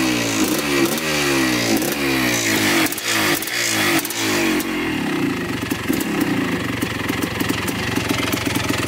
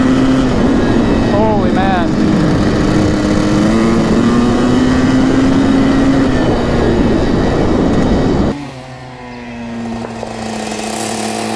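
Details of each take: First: 1984 Yamaha YZ490 two-stroke, newly bought, on a throttle-response check before full warm-up. Repeated blips rise sluggishly and unevenly and the engine bogs. Commenters say these bikes need about five minutes of warm-up to run crisply. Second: 1984 Yamaha YZ490 two-stroke on its first ride: the note climbs smoothly under throttle with no stumble, then drops off on closing. The engine clears out and pulls clean.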